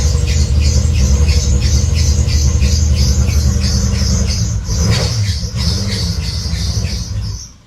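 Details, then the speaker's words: VW VR6 built engine with aftermarket coil pack finally starts but idles roughly with a misfire, plus a sharp belt chirp about four times a second; owner suspects the belt is not tight enough. "Alright. Now you gotta figure out why it's misfiring. That's a lot better though. That's at least starting out. The belt, I don't know why the belt sounds like that though."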